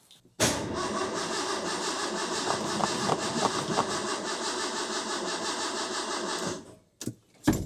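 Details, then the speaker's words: 1984 Ford F150 300 inline-six, first start after a rebuild: starter turns it over slowly and steadily for about six seconds without catching; owner suspected no fuel. "Tell you right now, it sounds like it ain't got no fuel. And it's She cranking slow."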